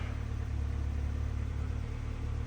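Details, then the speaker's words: 1995 Geo Tracker after fuel tank, fuel pump and sending unit work: low uneven drone with wavering pulse instead of clean idle; rough running, owner suspects mass airflow sensor wiring, unconfirmed. "So in that video, you see it was running not great."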